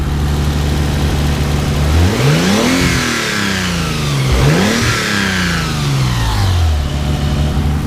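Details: Nissan Z V6, first start after work, AIV and EGR apparently deleted: idle climbs smoothly on two quick throttle blips and settles back evenly, no misses or knocks; slight noisy lifter noted but not concerning, healthy.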